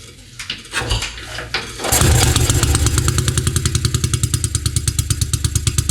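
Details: 1953 NSU Max motorcycle, first start in 45 years after restoration: kicked over, it fires and settles into a steady single-cylinder thump about three beats a second, slightly uneven; it runs but needs tuning and wiring harness reassembly.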